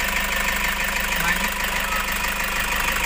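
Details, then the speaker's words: Toyota HiAce 2KD diesel idling after replacing the alternator clutch pulley: steady, quiet idle with no squeal, rattle or grinding; charging is normal at 13 V, versus 12 V when it had been noisy. "maririnig na natin kung tahimik na ang ating ginawa at pinalitan na alternator pulley"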